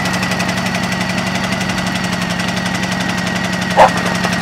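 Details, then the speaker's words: 2010 Honda EU2000i 2000 W inverter generator running: a steady, even, fairly loud drone with no misses or knocks. Normal running. "and let me put on the Eco throttle soall all right here's ecole it's loud isn't it"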